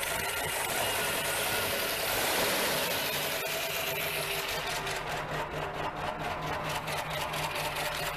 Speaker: God that sounds nice hasn't ran in a while can't beat that